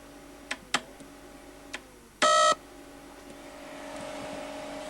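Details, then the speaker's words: Data East DECO Cassette System arcade board under repair: a few sharp clicks, then a short loud buzzing tone and a rising hiss as the board hangs without its reset signal; later a burned trace and sound RAM were suspected. "It's not working, and it's making an awful noise. So, it's getting a little further. Now I got no reset."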